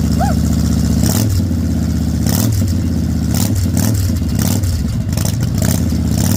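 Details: Salvaged 2000 Harley-Davidson Fat Boy V-twin, after flood restoration from 5 days submerged in Hurricane Ian floodwater: deep lumpy burble swelling cleanly on throttle blips, no knocks or rattles; finally running and fixed, healthy.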